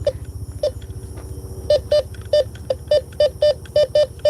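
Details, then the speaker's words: Bounty Hunter Tracker 4 metal detector on a night park hunt: short mid-pitch beeps in uneven clusters over a low hum, a slight crackly tone on a target after switching to tone mode. Target type uncertain. "Okay, I'm getting a slight crackle. Okay, let's flip it back. Okay, tone. Crackly tone."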